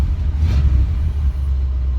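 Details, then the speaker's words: Ford 400 V8 (low compression), timing set far advanced where it likes to run; warm idle is a deep, even rumble with steady lope and no pinging or rattle. "It ain't that, it's just the timing's so far advanced, but that's where it likes to run. I mean, listen to it."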